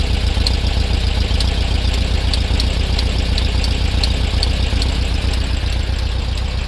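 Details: Air-cooled VW Beetle idling: light, sharp tick about once a second over the low chug from around the rear left; cause unclear; ticking noise at idle.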